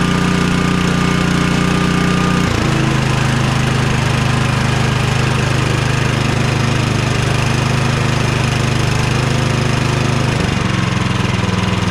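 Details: Cub Cadet 2X 24 IP snowblower (model 31AM6HVRB10) with an MTD Powermore 243cc IntelliPower engine (875-WU), after the carburetor was drained and cleaned. The single-cylinder holds a steady buzzing speed, dipping briefly twice and recovering without hunting or surging. It now runs properly.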